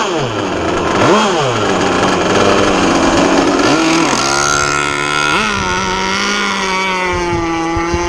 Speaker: okay fired up see how she goes it's a good sign really rich